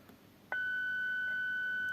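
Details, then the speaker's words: Vintage Radione WSH3 tube radio after repair work, amplitude-modulated signal generator tone at about 1.5 kHz: after a click, a clean steady whistle with no hum or crackle; receiver reproduces test tone properly. "so if I switch back I'll tune it to 800 HZ okay or let's say Kilz now it's 1 khz and when I switch to amplitude modulation you can hear it now"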